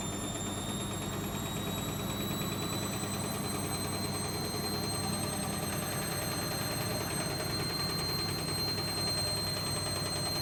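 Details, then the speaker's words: Logik L814WM16 washing machine running with a steady, harsh, awful grinding roar and a thin high whine over it; machine described as about to go to scrap. "I think it's all making an awful grinding sound. Can you hear that grinding? I can't believe this machine is making an awful, extremely grinding noise."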